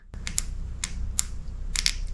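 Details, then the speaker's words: 2002 Chevy Blazer 4.3L V6 Vortec transmission shift solenoid, removed and bench tested with 9V in both polarities. It gives sharp, crisp, clean clicks, so the valve is moving freely and the solenoid is working normally. "Let's try polarity the other way. works both ways. That one clicks good, too."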